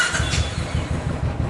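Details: Royal Enfield Classic (350 or 500 Desert Storm) after the starter one-way bearing repair and fresh engine oil: quick, even thumping as the starter spins the single, no grinding or slipping; healthy starter engagement.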